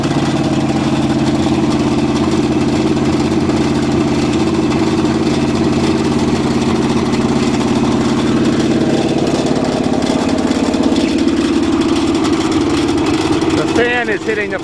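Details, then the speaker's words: Cheviac demo-derby car, cold start on choke at 2 degrees above zero after fuel-line work: steady idle with fast dry rattle and scrape following engine speed as the fan strikes the plastic radiator shroud, after too many demo derbies. "hitting the plastic radiator shroud, so that's what's wrong, making all the noise. Too many demo derbies."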